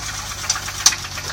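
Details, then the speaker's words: BMW E30 with M20B25 engine idling, recorded from outside the car, running rich on M50 injectors after DME reset: sharp, slightly uneven knocks about twice a second, rattling suspected in the bottom end, unconfirmed. "you can hear something rattling in the bottom end"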